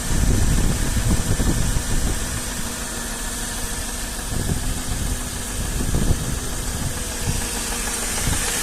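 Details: Mercedes M113 engine, cold start: rough idle with irregular low knocks, a few per second; cause unknown.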